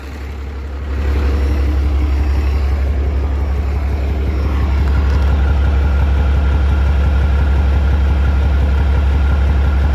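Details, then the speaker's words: Rebuilt 12-valve diesel hotshot truck, with new vacuum pump, warming up at idle: deep steady idle with a regular thump about four per second under the clatter, seemingly fading as it warms; cause unknown, blow-by to be rechecked. "yeah I think now that it's warming up that it's going away so once it warms up completely we'll check the blow by again"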